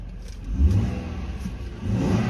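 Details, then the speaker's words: 2013 Ford F-150 after fuel pump control module replacement for a no-start (code P0627): engine picks up cleanly on a couple of blips and holds an even, smooth note with no misses or knocks; running normally. "seems to be good to go and I call it a fix in my book"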